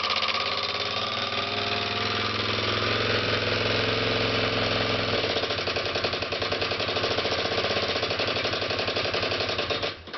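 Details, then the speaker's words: 2006 Kawasaki KLX250S at idle, valves already checked: a steady single-cylinder idle with a loose, fast tapping of about 220 a minute that seems to come from the top end rather than the crank area; cause unclear. "sounds like it's coming right around this area if anything I've had the valves checked and whatnot as you guys can see from the posting"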